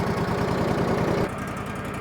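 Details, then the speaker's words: A brand-new small engine on a newly delivered sawmill idles with a steady, even beat, settling smoothly just after first start once the fuel tank valve was opened; it is being idled before blade engagement sets full throttle. Normal idle. "Because this is a brand new engine, I'm going to let this thing sit and idle for a second."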